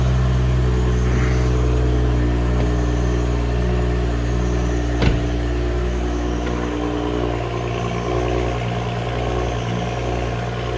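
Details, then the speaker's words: 2011 BMW E92 335i, first start after an oil change (the oil was dirty), idling with a low, uneven beat and occasional stumbles. The misfire is not consistent, so the owner rules out a coil; plugs and valves are very dirty. "the engine now that it's running, you can hear that it's got a bit of a stumble to it. It doesn't exactly run smooth."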